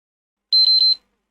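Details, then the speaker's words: Used PlayStation 5 at power-on: three quick high-pitched beeps warning the console was not shut down properly, followed by blue flashing light instead of home screen. "and we could hear three beeps three beeps means that you know the console wasn't you know power off properly there's something wrong with this console"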